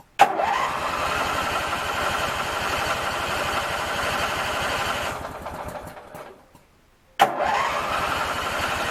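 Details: Craftsman 19.5 riding mower after ignition switch replacement and refuelling: cranks, fires right away, holds a smooth steady run, shuts off, then restarts just as cleanly; engine healthy.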